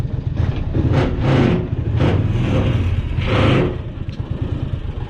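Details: 2002 John Deere Gator utility vehicle idling after start: low steady engine rumble with loose clattery surges about every second; owner says the machine rattles, source unclear, though it runs well.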